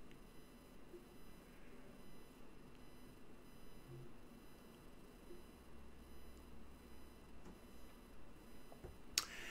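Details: Ham radio receiver (Flex) after the bathroom smart speakers playing audio were turned off. Only a faint, even hiss remains, with no buzz, whine or pulsing; the local QRM source is gone.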